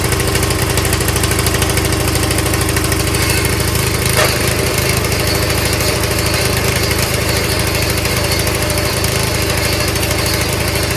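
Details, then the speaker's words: Craftsman machine, small single-cylinder engine, started after a little priming; steady even putter at fast idle, no misses or knocks, running fine. "Just need to help it out with a little primer is all. So that's pretty cool."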